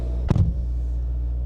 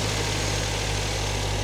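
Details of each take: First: Car at a salvage auction on a cold morning, heard from inside the cabin while idling a bit high. A steady, deep droning rumble with one brief thump: loud exhaust. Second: Salvage-auction car with low coolant, on a cold morning. A smooth, even idle, slightly high while cold, with no knocks, ticks or rattles, slowing as it warms; not believed overheated: normal warm-up idle.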